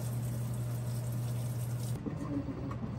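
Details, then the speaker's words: Maytag Bravos top-load washer with agitation plate, loaded with towels, jackets, shirts and jeans, on about its fourth test load. After filling, a steady motor hum gives way to rhythmic swishing and sloshing; nice strong, normal agitation. "and it's continuing to stop and add a little more water, but it is now agitating. If you can hear that, it's got a nice strong agitation."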